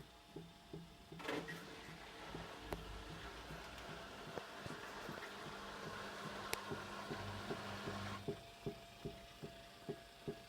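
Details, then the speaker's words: Hyundai WME8410 front-loading washing machine in spin cycle: a sharp, regular knock about two to three times a second while ramping up, disappearing once maximum spin speed is reached. "характерно слышно его выходит на максимальный оборот и звук пропадает"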